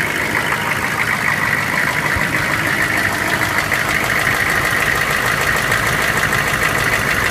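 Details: GM K2500 6.5L diesel, run for the first time in a year, idling: a rough clatter with a loose knock about every half second; cause not yet known.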